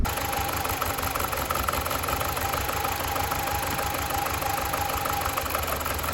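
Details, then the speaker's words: BMW 318i E46 Touring, four-cylinder, at idle after start: unsteady, lumpy idle with ragged rumble that never settles, as rough as before; coils believed working. "not at all that is disappointing that is a rough as heck just as it was um and these coils were meant to be working fine"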